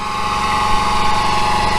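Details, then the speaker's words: Truck's small-engine generator before replacing the generator head: steady high whine near 1 kHz over the engine's idle rumble, started about a month ago; owner attributes it to the generator head. "all right we got the generator run it maybe you can hear the whine of the generator"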